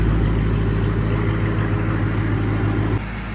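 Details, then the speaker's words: Flood-damaged SRT8, first start after cleaning grounds and temporary new fuse box: deep steady V8 idle with even low beat, no knocks or misses; engine sounds healthy, normal idle. "Engine sounds good. Oh my gosh, you guys. I wish we would have been recording."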